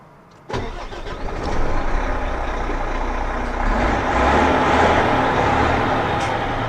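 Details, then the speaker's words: DAF truck diesel, misfiring since driving in rain the day before, restarted: quick start then uneven, lumpy run with ragged beat and no clean rhythm; still misfiring after restart. "Ну і опять опять троїть. Вона вчора мені в дощ троїла."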